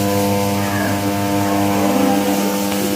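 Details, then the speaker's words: Crompton High Flo table fan on first speed, sent in for running slow and noisy: loud steady electrical hum with no blade spin, motor energised but stalled; on second speed it turns slightly but loudly. "ஃேன் ஓடல. Sound மட்டும் வருது."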